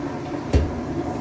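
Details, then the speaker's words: Whirlpool-type top-load washer on the spin cycle after a new part was fitted to cure a rubbing noise: a smooth, steady low hum with no rubbing or scraping, noise fixed. "Bueno amigos ya está listo ya quedó ya se le quitó el ruido"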